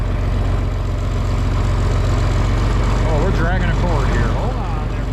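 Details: John Deere 4020 tractor just started on a battery charged overnight and left to heat up, in the shop for a hydraulic leak up front. A deep, steady diesel chug at idle, about four beats a second, even and unhurried, with talk over it. Warming up fine.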